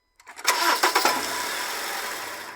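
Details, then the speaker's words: Honda CR-V makes a sharp metallic bang, like iron hitting iron, as the engine cranks and catches, then idles calmly; caused by a worn gearbox (transmission) mount, and the noise disappears when the mount area is shimmed. "problema aqui tá nesse coxinho aqui do do câmbio tá então quando dá partida ele bate ali e dá um estouro dá umum barulho meio que de um estouro tá"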